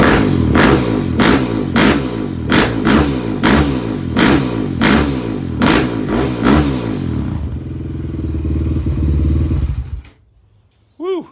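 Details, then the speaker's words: Suzuki LTR450 quad, believed 2006, fuel-injected, sat for a while, running after its injector was cleaned again. A loud single-cylinder bark through repeated throttle blips, each rev climbing and dropping back cleanly. Normal running. "thing is loud well that's the best it's ran"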